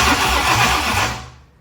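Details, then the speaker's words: 1965 Ford Thunderbird, FE 390 V8, cranking during revival after dash work: steady low cranking churn about a second, then winds down without firing; no spark found, cause unknown; cranks but won't start. "it's not uh it's not getting spark for some reason which could be lots of lots of things"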